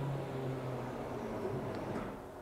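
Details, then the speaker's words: 1977 Nova with a 355 engine and a newly installed FiTech 800hp MeanStreet EFI, key turned on for the first time: low, steady electric hum for about two seconds as the fuel pump primes, then fades. Normal fuel pump priming. "so as soon as the key comes on you should hear the pump prime oh yeah"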